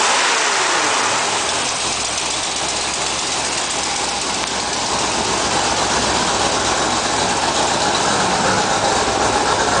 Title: ford 5.0 rough idle